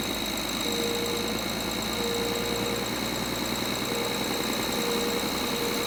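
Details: BMW N53 engine at idle: light, fast metallic chatter over a steady idle with plenty of top-end clatter; idle rattle, cause not pinned down.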